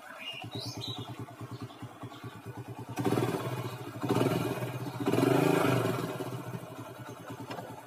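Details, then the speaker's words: Small single-cylinder Grand/Legenda motorcycle engine after replacing worn or loose cam chain that caused rattling: even chugging rising with three throttle blips, no chain clatter, not noisy anymore; healthy. "nah guys ini sudah dipasangkan sekarang mah gak terlalu bunyi ya guys gak terlalu berisik atau gak terlalu elektrik ya guys"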